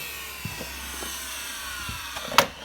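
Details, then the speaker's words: Miele Revolution 700 vacuum with its original burst exhaust filter refitted: strained, airy hiss as air struggles to get out through the blocked filter; sounds much clearer without it, motor slightly whiny. "Wow. I can actually hear it hissing like the air's struggling to get"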